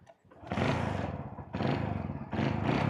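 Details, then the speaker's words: 1995 Hero Honda CD100, about 31 years old, cold start: three short bursts of steady thumping as the small single catches and revs from cold, firing evenly without knocks; engine sounds healthy. "Oh, I think I need to do a little bit kind of cold start, but oh my freaking god,"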